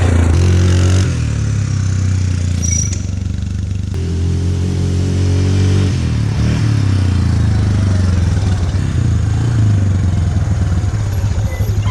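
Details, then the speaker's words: Yamaha ATV that sat for a while, jump-started, oil checked clean: steady low single-cylinder thump about four beats a second, even apart from a little clatter; runs perfect, nothing wrong. "yeah this thing runs perfect there's nothing office"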